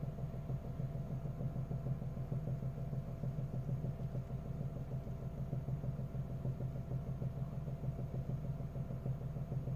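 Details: Engine cold start in the morning: low, even idle rumble with a faint regular tapping about twice a second; knock disappears once warm and is heard only from the cabin, not under the hood; source unknown.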